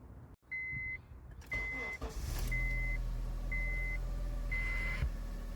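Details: Honda CR-V that would not start and had no OBD2 communication, after field repair of a blown fuse and shorted wire: chime beeps, engine cranks, catches quickly and settles to steady idle; normal start and idle.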